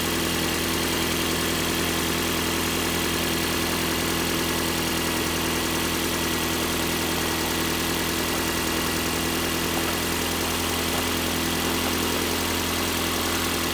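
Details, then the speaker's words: 2017 Ford Fiesta after throttle body replacement (10 mm socket), first start: steady, even idle with a constant low hum, no misses, knocks or surging; normal idle, to be left running 15 minutes to reset the throttle body controls. "that sounds pretty good i'm gonna let it run for 15 minutes"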